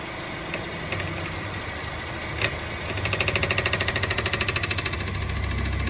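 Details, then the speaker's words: Honda with a rapid light ticking rattle, about three a second, over the idle in Drive only, not in Neutral or Park. A loose part underneath rattling, fixed without new parts. "escuchen este sonido que está haciendo cuando se pone en drivers lo ponemos neutro es un parque no suena"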